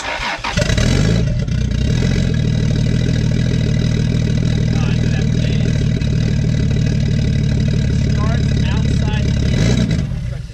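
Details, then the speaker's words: Toyota 2JZ-GTE, run outside the car on chassis wiring: catches and idles fairly evenly for several seconds, then fades and dies; cause unclear, owner still to figure out, MAF not running. "Obviously, it dies after so long, which again, once it's actually in the car, it I've got to figure that out."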